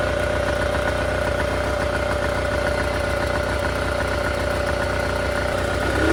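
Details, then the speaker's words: Scout 155 boat outboard after replacing a part to fix a charging issue: smooth, even idle with steady low burble, no stumbling or rattles; charging fixed and idle improved with higher voltage. ">> Well, it looks like our charging issue is fixed. It also cranked up and seemed to idle better with that higher voltage."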